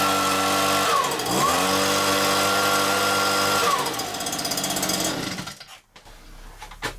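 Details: Stihl BR86c two-stroke leaf blower after engine rebuild (new crank bearings; bottom-end bearings had failed from wrong 2-stroke mix) and carburettor clean: revs up with crisp rising and falling buzz, clean throttle response, then shuts off; running normally.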